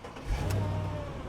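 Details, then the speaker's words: Supercharged V8 476 hp 2006 Mercedes E55 AMG wagon bought at auction: quick throttle blip rising and falling cleanly to the soft limiter with no knock or stumble; engine sounds healthy, only battery warning on dash. "but that sounds pretty smooth. It has the soft limiter, but sounds good. The engine sounds healthy, and there are no lights on the dash complaining about anything other than the battery."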